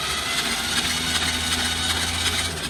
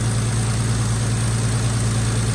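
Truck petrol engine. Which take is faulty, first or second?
first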